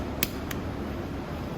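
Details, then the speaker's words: Coolster Chinese single-speed dirt bike, start button pressed: two sharp clicks with no starter whir, so the starter relay/solenoid is likely bad; bypassing the solenoid with a jump pack turns the starter over. "that's usually a good sign if you hear that clicking noise and your starter is not turning over there's a good chance that your relay is bad"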